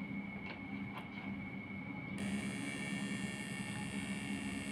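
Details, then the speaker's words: Changhong 21-inch CRT TV that won't start with its indicator lit: a steady low buzz with a thin high whine that sharpens; a short in the horizontal section (flyback or horizontal transistor) is suspected, the flyback first. "pertama kita curiganya ke flebek dulu jadi kalau kita denger suaranya kita curiga ada yang konslet di daerah horizontal atau playback atau transistor horizontal"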